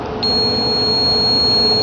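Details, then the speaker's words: Refrigerator defrost timer bench test with a continuity meter: a clean high beep held steady about two seconds as contacts close, continuity between terminals 1–4, 1–2 in defrost mode and 1–3; timer good. "so this is a good timer we had continuity between one and four we turned it we had continuity from 1 to two we turned it it dropped out went back to four we checked from terminals 1 to 3 and the call was good so this is a good timer"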